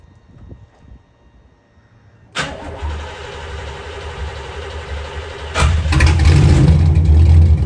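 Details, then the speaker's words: 1991 Chevy Camaro start after dropping the fuel tank to cure a year-long fuel pressure problem; fuel pump heard whizzing on at key-on, then the engine catches immediately and settles into an even idle, revving smoothly: a clean, healthy start. "as soon as I got in the car and I turned the key it was a good sign because I could hear that fuel pump whizzing on so I felt amazing"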